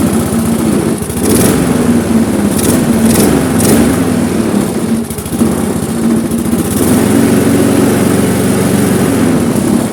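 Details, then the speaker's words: Briggs & Stratton Classic carbureted lawnmower engine: runs and no longer stalls but won't rev, staying at a low, labouring speed. Stretched, slack governor springs are blamed, fixed by shortening the spring to restore tension. "Notre moteur fonctionne, il cale plus, par contre il ne prend pas du tout de tour."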